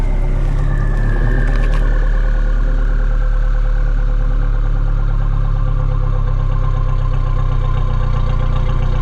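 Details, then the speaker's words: Toyota truck (22RE or 3VZ) after valve-cleaning treatment, with the idle screw backed down (owner suspects a failing O-ring): steady, even four-cylinder idle, smooth low hum, no misses or knocks; normal idle. "she sounds good i'll tell you what"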